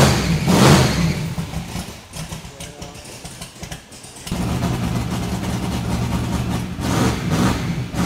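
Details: XC Falcon ute's methanol-carburetted twin-turbo 351 Cleveland V8 with newly fitted Haltech VMS, started in a closed shed; catches into a lumpy deep idle, then clean rising revs, no knocks or misses; normal start and revving.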